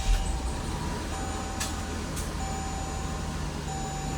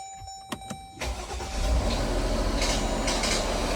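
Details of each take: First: 2020 Jeep Grand Cherokee WK2 after RIPP supercharger install, on stock tune, second startup, warming up: smooth, even idle with a low steady hum and no knocks or misses, healthy. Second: 2020 Jeep Grand Cherokee WK2 on first startup after a RIPP supercharger install with 6 quarts of oil and coolant filled: engine cranks and catches, then a harsh scraping rasp rides over the idle; the supercharger drain line was hitting something.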